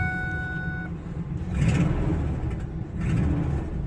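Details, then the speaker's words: Truck starting with a loud, rough, raspy rumble from an exhaust leak; owner unsure if it is the manifold or a shot muffler. "Yeah, that's a problem we've got to fix. Exhaust leak somewhere. I don't know if it's at the manifold or the muffler is shot on the thing too."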